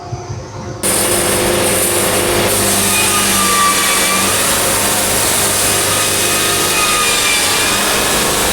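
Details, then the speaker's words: Engine-driven bandsaw sawmill cutting wide board, feed pushed beyond about 3.5 inches per rev: loud engine and blade roar sagging and labouring; over-pushed engine nearly stalls. "And that was a little too fast. I stalled the engine twice. I didn't stall. I over pushed the engine."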